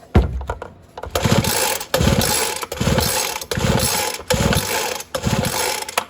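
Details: Ryobi leaf blower (RY09056/RY09550) from auction, new-looking spark plug, old gas in tank; seven even rope pulls with smooth recoil whir, no scraping or knocking: engine turns over freely, normal pull-start cranking.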